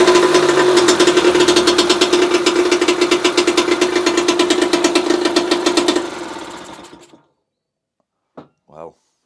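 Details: 1966 British Seagull outboard, sat 20–25 years, running after points and carb cleaning: fast, sharp two-stroke popping, steady at about three beats a second, runs evenly on its own before shutoff; carb still leaks.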